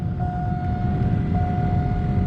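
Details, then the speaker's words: 2005 GMC Yukon: steady rushing air with even whirring tone, no rattle, squeal or ticking; blower runs smoothly, speed controllable. "There we go. I don't know if you can hear that, but the blower kicked on and is running."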